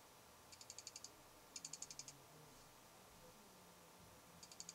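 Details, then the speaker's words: Fuji X-Pro1 in a low-light recording studio, camera 3 feet from a sound pressure meter that barely registers (occasionally 53 dB): faint bursts of rapid high ticking, six or seven clicks each, over quiet room hiss. Lens aperture chatter. "But what we're trying to do is we have a Fuji X-Pro1 here, and I hope you can see that Fuji X-Pro1, and we're measuring the lens chatter that everybody's complaining about."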